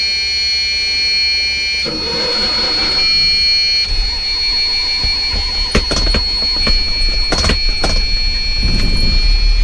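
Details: Dust Star motorhome just started, high steady warning tone over a rough diesel idle settling in: low air pressure warning until the pumps fill the air tanks.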